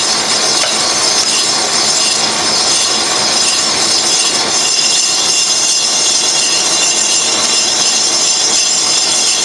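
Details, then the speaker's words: Colchester Triumph 2000 lathe skimming a slightly oval 1930s Studebaker cast iron front brake drum in a 4-jaw chuck: shrill, steady squealing chatter from tool and workpiece vibration, inserts not suited to cast iron. "oh my God that's horrible well I I guess we've uh maybe taken the glazed surface off we've got some chatter going on here in that corner"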